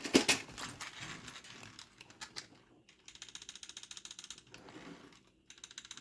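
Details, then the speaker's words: Ultimate M5S nitro engine in OFNA Hyper 7 buggy, clutch bell to spur gear mesh after locking the mounts down; only light, quick ticking as gears rock, no grinding or binding, mesh set correctly. "That is a tiny tick. That is an absolutely gorgeous tick."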